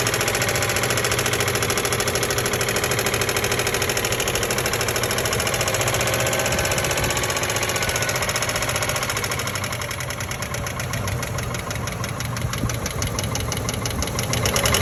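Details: 1997 Ford Expedition 5.4L 2V V8 at idle: a quick, steady tapping over the engine note, starting after a fuel pump and filter change. Many parts are new and the P0153 check-engine light is on; the owner suspects a clogged or leaking injector, but the cause is undetermined.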